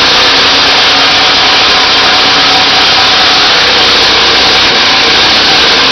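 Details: Briggs 3-cylinder small engine at high revs with a harsh, thrashy buzz and uneven firing after a mechanical failure left it running on only the top two cylinders.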